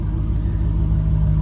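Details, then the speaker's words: GM car with fourth-generation Bosch injectors replacing original 1989-92 GM Multec injectors: deep, even idle, steady low rumble with no stumbles or misses; crisp smooth running credited to the injectors, normal idle. "listen how crisp this car is and that's the difference in these injectors and it applies to that applies to l98 so this car has real smooth running and it's all on the injectors"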